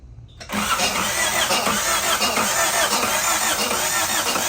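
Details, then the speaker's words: 1990 Honda Civic, 360,000 miles, ZC DOHC swap, first start after sitting: starter churns steadily, brisk uneven rhythm, never fires; cranks but won't start, fuel only dribbling with air bubbles, no pressure, pump possibly stuck. "I mean, it's dribbling. There's no pressure. There's all kinds of like bubbles, like there's air in the line, but there's no pressure."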